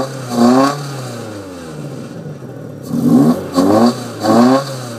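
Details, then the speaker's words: VW Jetta Mk4 2.0 petrol, door open: four throttle blips with raspy, puffing exhaust edge and burnt-wood smell; suspected exhaust leak, unconfirmed, separate rattle also concerned. "take it off you can obviously hear there's a leak somewhere um the engine doesn't sound too horribly bad at all except for that exhaust leak"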